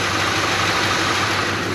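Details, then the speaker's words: 1985 Chevy Suburban K20 after removing an air filter that was pushing on the throttle: smooth, steady idle with an even note and no belt squeal; normal idle. "it's idling fine R's fine the belt's not scream nothing so I'm going to assume that that air filter was pushing on the throttle"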